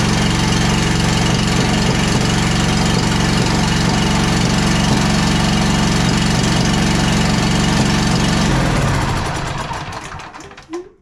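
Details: John Deere Z335E zero-turn mower V-twin with mouse-damaged wiring harness, on starting fluid: heavy rough idle with uneven clanking pop before winding down; valve lash off.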